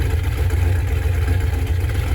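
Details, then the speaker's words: Big-block V8 idling in neutral after a cold start, before planned changes: deep, lumpy, even idle with steady low pulses, no knocks or misses; healthy normal idle. "But anyways, listen to the good sounding big block."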